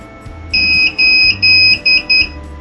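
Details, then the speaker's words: Hikvision DVR on a 12 V 1.5 A supply, in for repair. The hard disk tries to spin but won't run. Five shrill steady beeps of uneven length over a faint hum are the buzzer alarm for no hard disk detected. The technician suspects a faulty power supply; not confirmed. "දැන් ඔයාලට ඇහෙනවද මේකේ බසර් එක වැදිනවා ඒ කියන්නේ hard එක install වෙලා නැහැ කියලා"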